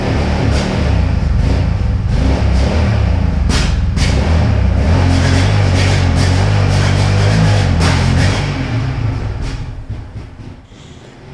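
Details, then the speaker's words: Yamaha Raptor 700R quad (2009–2012), after fresh gas, a new spark plug and starter fluid: uneven, lumpy idle that stumbles and dies if the throttle opens too quickly, popping and backfiring on throttle. Owner hopes fresh fuel and injector cleaner will fix it. "idle but it will die if you hit the throttle too quickly and it's backfiring on throttle"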